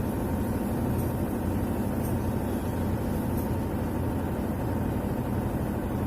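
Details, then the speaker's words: Whirlpool White Magic Pro XL 800S washer on spin program, about 7 minutes left, after a vibrating bag was taped down: even, steady rumbling drone with no knocks, scraping or rattle; problem solved. "जो आवाज़ पहले आ रहा था आवाज़ अभी नहीं आ रहा, problem solve हो चुका है इसका। 7 मिनट बाकी है स्पिन प्रोग्राम ख़त्म होने के लिए।"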